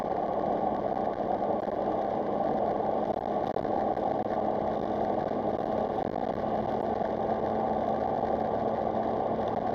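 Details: Engine on a gentle drive testing for misfire after repairs that replaced badly corroded coil packs: a smooth, steady note with no stumbles, pops or skipped beats, running cleanly with no misfire.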